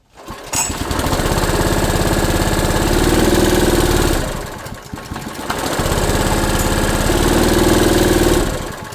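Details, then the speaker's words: Honda EB1400X generator with an electrical load plugged in, choke off: the single-cylinder engine labours in low heavy surges and will not come up to governed speed. Bogging under load, cause unknown. "It was under a lot of load there. A lot of load. It would not come up to speed."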